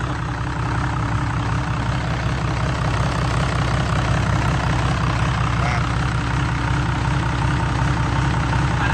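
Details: Hino J08C turbo diesel, 200-plus hp, taken from a rice combine harvester, started: deep, steady idle with an even, firm beat and no knocks or misses; healthy.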